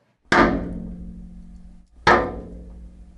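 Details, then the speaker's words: Solenoid valve in a water line: two loud metallic bangs about two seconds apart, each ringing out. This is water hammer, the pressure surge when the valve closes quickly and abruptly stops the flow. "Ensuite, les forts bruits de claquement. Cela est généralement dû à un phénomène appelé coup de bélier."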